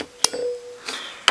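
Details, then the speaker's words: Sangamo mechanical time switch made by Warburton Franki, roughly mid-to-late 1950s, 20 A max load; contacts set closed by moving the mechanism with a screwdriver. Sharp metallic click with faint ring, then a second snap as contacts close. "Yeah, that will just click on. When the mechanism is going, that will stay on. Contacts are closing."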